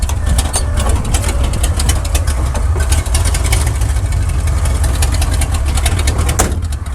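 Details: 1979 Chevrolet C10 after coil and plug wire work: loud lumpy idle with uneven beat and repeated stumbles, misfiring on one or more cylinders and getting worse; root cause not found.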